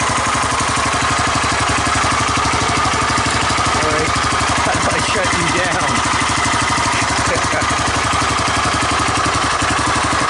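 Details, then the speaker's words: 1985 Honda ATC250SX Astro 4-wheel conversion, first cold start, with an apparently fresh oil change. Idles with a rough mechanical rumble from the head; the owner suspects the top end is not getting oil. Cause unconfirmed. "It's making bad sounds. Making bad sounds up in the head. Hear it? Sounds like it's not getting oil."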